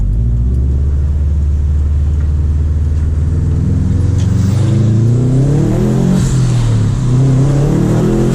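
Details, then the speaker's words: Subaru WRX STI with 12 psi boost tune, first drive after winter storage on old fuel, at 12-degree air temperature: engine note climbs smoothly as revs rise under boost, no pinging, no feedback knock; clean, healthy pull. "well 12 pounds of boost tune is doing perfect no feedback knock so even though the fuel's been sitting in there for a while it still is pretty good fuel"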